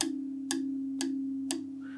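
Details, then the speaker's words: Vox AC15C2 amp with howling oscillation, control panel tapped about twice a second: each tap rings into steady hum-like tone; microphonic output tubes, jacks also loose. "that is a lot like a lot of micronics even just the Jacks here are actually a little bit loose so plugging and unplugging that is going to make it worse"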